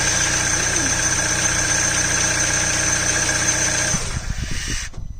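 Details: Citroen DS3 1.6 VTi petrol after water pump replacement: even, steady idle with no knocking, tapping or misses, then switched off and runs down cleanly.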